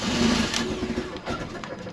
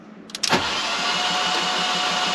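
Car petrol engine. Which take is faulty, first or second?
second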